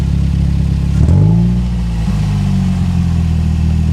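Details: Cold engine just after a new exhaust was fitted, with a manifold gap filled with aluminium filler: sharp blips then a smooth, even idle, no ticking or puffing from the pipe; exhaust sounds sealed and healthy.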